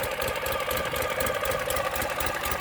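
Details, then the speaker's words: 2009 Ural Sahara 2WD sidecar motorcycle, under 9,000 km, carbureted, cold start at 40 degrees with enrichers pulled out: uneven, loping low idle, normal for choke warm-up. "and of course then richner's are pulled out right now that's why you hear it loping we wait for change which it just did that there"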